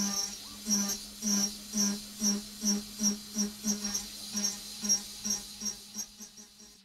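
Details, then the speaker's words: AvidCNC Benchtop Pro 2x3 router, CNCDepot S30C spindle at about 12,000 rpm, 10% stepover in steel. Shrill pulsing shriek about twice a second, spindle audibly bogging; too much stepover for this depth of cut. "sounds just okay in my opinion it's a little shrieky for my liking and you can definitely hear the spindle bogging down so 12 K and 10% step over with this depth of cut is probably too much for it to handle"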